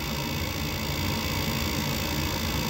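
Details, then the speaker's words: Goodman furnace (about 2009) on a no-heat call, inducer running after pressure switch replaced: a little quieter but still a steady rough hum with coarse rumble underneath, worn; noisy inducer motor, replacement planned. "Sounds a little bit quieter, but still. We're just going to pop the new motor in."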